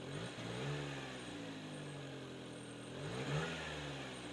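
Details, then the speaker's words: Subaru Sambar, warm, after carb repair cured stalling on throttle: revs rise a touch sluggishly when blipped. Slight remaining throttle hesitation, removed by further carb adjustment. "maybe it adjust it a little bit more yeah it's a little bit of a hesitation"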